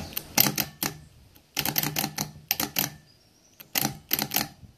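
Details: Nissan car starter removed by an auto electrician, bench-tested on a computer power supply: loud sharp clatter in bursts of rapid clicks with quiet gaps; the solenoid chatters instead of engaging cleanly, suspected solenoid fault, not confirmed.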